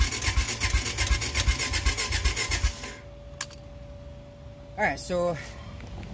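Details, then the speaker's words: Honda Foreman four-wheeler, before carb cleaning: starter grinds the engine at a steady rapid beat under three seconds, never fires; cranks but won't start, owner suspects clogged carburetor. "can see this thing is just it's not starting most likely the carburetor is clogged"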